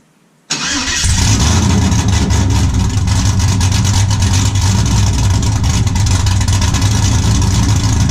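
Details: 5.3 LS-swapped 1991 Z28 Camaro, TSP cam, Holley Sniper EFI, muffler deleted to 3-inch straight two-into-one dump before rear axle: catches and settles into loud, deep, choppy lope about three beats a second; healthy cammed V8 idle.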